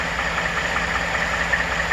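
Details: 2014 Ford F150 5.0 Coyote, tick starting around 40k miles and still present at 80k: light fast typewriter-like tick over a steady idle; valvetrain-type tick, source not found after several dealer inspections.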